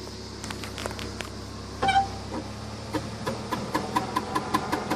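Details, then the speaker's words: BMW E46 coupe, weeks after replacing flex disc, center bearing and transmission mount: light regular ticking over road noise, turning with driveshaft; new flex disc bad, foreign object found loose inside it. "Ended up being the new flex disc is bad. Yeah, there should not be anything in there like this."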